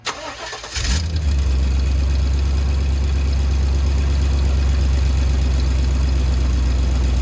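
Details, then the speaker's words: Chevy Silverado V8 quick test start after new passenger-side exhaust manifold gasket, spark plugs and wires: short crank, quick catch, then a smooth, deep, even idle with no exhaust ticking, though a tiny leak remains at a hole; normal idle. "But other than that, it's dead silent and it's running good. Sounds so damn good now. Just nice and quiet."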